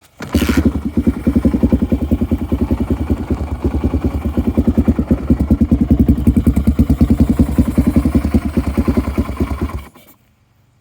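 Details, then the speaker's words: 1998 Yamaha XT350 single-cylinder with lumpy, uneven thumping at idle that dies within 5–20 seconds unless held near 3,000 rpm with its sticky throttle; the owner says the sound comes from the intake, and the cause is not found. "It dies always. Anywhere from like 5 seconds to 20 seconds, it'll die unless I put it right at 3,000 RPM, which is easy because my throttle is sticky."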